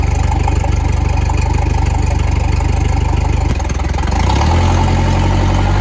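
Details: Boat outboard, first start since fall after winterizing, on flowing water: runs evenly, dips briefly around three and a half seconds, then settles into a smooth, steady idle. Normal idle.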